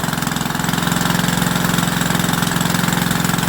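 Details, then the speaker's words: Rebuilt WW2 generator at first start on a warm piston, started on quarter choke with a petrol tap leak: a steady, even single-cylinder beat of about three firings a second with no misses, knocks or smoke. It is running normally. "Wow, there we go, guys. There we go. Absolutely spot on."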